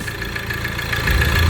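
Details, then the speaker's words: Ford Transit Connect diesel idling after oil sump replacement and service: uneven light rattle over the clatter at the engine front from the crankshaft pulley (harmonic balancer) with worn rubber, wobbling; mechanic suspects timing could also contribute. "Yeah. Rattle. I need to pulley. Crankshaft pulley, the harmonic balancer. There's like a rubber that surrounds the crankshaft pulley. That's why it's like shaking."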